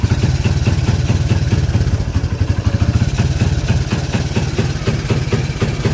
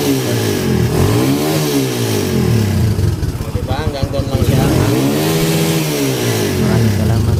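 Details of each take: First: Kawasaki Barako 175 single-cylinder: uneven choppy stumbling beat instead of clean idle, engine struggling; stator to be checked. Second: Kawasaki Barako 175 single-cylinder after rewiring full-wave charger to stator yellow wires: picks up cleanly through repeated revs, settles back evenly, no misses or stumbles; running and charging fine.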